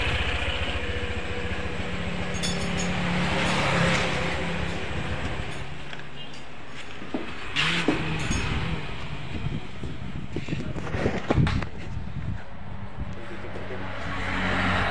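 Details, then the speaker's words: Honda PCX scooter with rough, rattling, juddering CVT before service: uneven metallic chatter and harsh clinks from the belt side. CVT rattle from loose roller slider. "di kesempatan video kali ini kami ada garapan Honda PCX ya mengalami problem atau trouble ini suaranya kemeletek dan kasar di bagian CVT kemudian geredek ya rekan-rekan"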